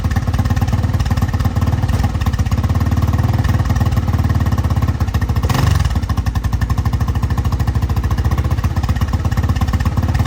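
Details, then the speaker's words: 1985 Honda XR350R single-cylinder four-stroke after sitting outside 6–7 years, first start after carb cleaning: fast steady idle with slightly uneven lumpy beat, smoking, gas spitting from carb bottom; owner suspects flooding, float or needle. "So as you can tell guys, it does run. It's smoking out the back a little bit. I think it's flooding out some from the carb."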